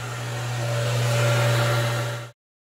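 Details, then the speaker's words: Home rainwater catchment system pump after a UV sterilizer bulb change, repressurizing: steady low electric hum for about two seconds, then a clean cutoff as the tank reaches pressure; pump fully charged, working normally. "okay the pump has fully charged"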